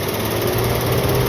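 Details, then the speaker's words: Maruti Celerio with coolant boiling: steady whirring radiator fan hum over the engine; fan shows on but only spins when its connector coupler is shaken, so connector/wiring suspected. "சில நேரம் இந்த fan radiator fan இங்கே on சொல்லி காட்டுது, ஆனால் கரஸ்பாண்டிங்காக radiator fan சுத்த மாட்டேங்குது. அதுக்கான காரணமாக இருக்கிறது வந்து அந்த கப்ளரை ஷேக் பண்ணால் ஓடுது."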